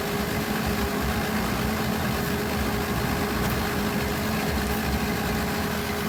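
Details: 1995 Honda del Sol, muffler after welding: steady idle with a faint, even chuff over the exhaust note; exhaust leak at the muffler weld.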